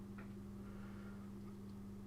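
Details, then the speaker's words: Amstrad CPC MP1 power supply plugged in: steady low mains hum from the transformer with none of the seller's reported fizzing, popping or crackling; sounds healthy, though a fault further in is not ruled out. "but I can't hear any sort of um nasty voltages or anything. Doesn't mean there isn't a fault."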